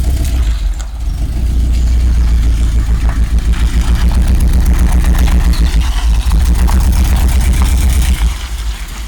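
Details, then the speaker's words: 1986 Rolls-Royce Silver Spirit II, parked since 2022, just started cold with some bad fuel: uneven, stumbling idle with irregular dips, a cylinder dropping out; bad misfire, plan is new spark plugs and checking distributor cap and points. "So, plan today. It misfires quite badly. So, the idea is to put some new plugs in it."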